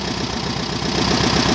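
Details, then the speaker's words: Mini buggy with VW Beetle (Fusca) engine, carburetor just fitted and adjusted: starts on a quick nip of the starter, drive belt slipping; even, quick chuffing beat at a steady idle with no misses or surging, a clean, healthy idle before ignition timing is set. "Ah então tá sim ó beliscou pegou né pode desligar o Oi pode ligar de novo é só no beliscão a correia dele está patinando em a marcha lenta filé"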